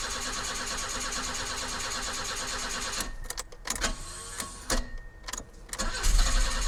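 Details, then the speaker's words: 1984 BMW 318i E30 that sat four years, crank-no-start from running out of fuel: after adding about four gallons, long steady cranking to rebuild fuel pressure to the injectors, then it stumbles and catches in uneven bursts once fuel arrives. "I think she was just out of fuel yeah buddy there we go she's back what an awesome car"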